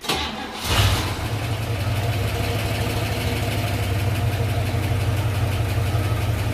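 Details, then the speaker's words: 1958 Corvette 283 (4.6 L) V8, four-barrel, two-speed Powerglide, rebuilt engine on AMSOIL, started to idle 15 minutes before an oil-flush drain: quick crank, then a quiet, steady, even idle; normal start and idle. "right so all we do is let her idle for 15 minutes and then we drain her down I will let you hear what she sounds like the reason she's so quiet is because she already has AMSOIL in her"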